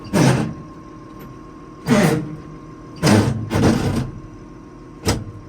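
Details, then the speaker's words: Allis Chalmers 190 XT diesel tractor with Power Director T-handle transmission, warm (already run a while), clutch pedal fully down: heavy grinding clunks in short bursts about every second over a quiet diesel idle; clutch dragging, not fully disengaging. "see, that's what I'm meaning. It's not like it's disengaging all the way"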